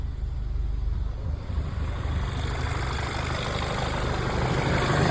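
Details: VW MK5 Jetta after timing chain, balance shaft chain, guides and tensioner replacement, running after first start: even, low rumbling idle firming slightly, no rattle or chain slap; no check engine light, no leaks, coolant low, normal idle.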